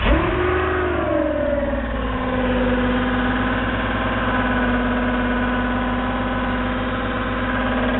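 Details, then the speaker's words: 1999 Porsche Boxster 986 Tiptronic, sat about three years under a tree: engine drops from a rev to idle with a steady droning whir underneath; suspected transmission noise, cause uncertain. "anybody know what this noise might be um working on this 99 Boxster uh with Tiptronic"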